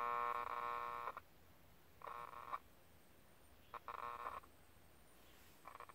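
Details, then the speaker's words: 1967 GE transistor clock radio: tone cuts in and out in short irregular bursts with near silence between, and the second half of the band seems dead; reception dropping out, cause unknown. "ah sure I the second half of the band is dead I'm also not sure why it's doing that"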